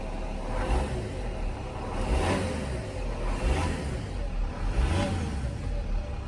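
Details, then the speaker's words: 2006 Mercedes E320 CDI, OM648 diesel, after the glow plug control module and fuel rail pressure sensor were replaced: repeated throttle blips rising and falling cleanly about every 1.5 s, no knocks or misses; no codes, no check engine light, healthy. "Gonna go ahead and give it a few revs. No codes here for now, no check engine lights."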